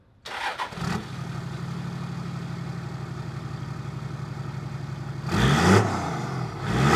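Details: Toyota 80 Series Land Cruiser after 1HD-FTE diesel engine conversion: cranks briefly, catches and settles into a steady even idle, then two clean revs rising and falling smoothly; healthy.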